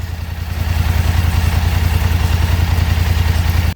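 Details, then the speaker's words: 2024 Polaris Sportsman 1000 after spark plug wire rerouting, sprayed with water for the final test: even, steady thumping idle with no stumbles before shutoff; no more misfire wherever water is sprayed. "Good to go. No more misfire, no matter where I spray the water."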